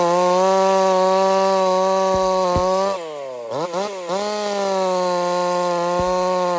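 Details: Jonsered 2149 chainsaw built for 50cc class racing, first cuts: screams at high revs, then dips under cut with uneven sputter and sharp pops. It won't clean up and is misfiring under load; owner is fairly certain it has coil issues.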